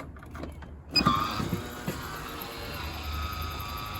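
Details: Van conversion 12 V system (Promaster/Sprinter/Transit) started up in spring, batteries isolated from each other: a click, then the MaxxAir roof fan's soft, steady electric whir with no rubbing or rattle; running normally.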